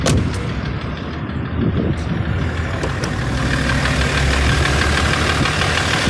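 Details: BMW M57 3.0 diesel idling, knock appeared right after injectors removed (three seized, pulled with slide hammer), one replaced, one adjusted, wells reamed: steady knock about three beats a second over the clatter; drives normally, slight black puff at full throttle; cause unknown.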